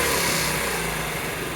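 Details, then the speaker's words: 1975 Honda Z50A after a top-end refresh (new piston, rings, cylinder, refreshed head), first kick on partial choke with the carb unadjusted; small single buzzes fairly evenly with a slight stumble. Normal running. "I stumbled a little bit there, but hey, not too bad for not even adjusting the carb."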